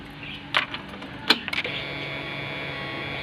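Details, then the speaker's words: BS6 bike with a starting problem, key-on after a new battery replaced the 14–15-month-old one: a couple of relay clicks, then a steady even high whir for about two seconds; normal fuel pump priming, though a warning light stays lit. "பக்கா pump பக்கா வேலை செய்யுது. ஒரு நிமிஷம் இருங்க. Okay, இப்போ பார்த்தீங்கன்னா வண்டிலாம் பம்பெலாம் பக்கா வேலை செய்யுது."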